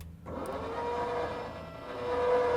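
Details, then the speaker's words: SaltDogg Pro Series spreader gear motor powered directly: a steady, even mid-pitched whine with no grinding or catching; the motor runs fine. "As you can hear, everything sounds good. There's no grinding or anything. So, it sounds like the motor is running well."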